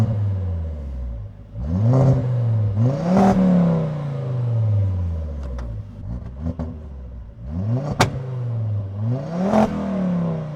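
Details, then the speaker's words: 1999 Volvo T5 2.3 turbo five-cylinder, revived after sitting, no leaks: clean free revs rising and falling smoothly several times, an even note with no knocks or rattles; a healthy engine. "I'm not gonna lie, I probably think this is probably the best sounding car ever."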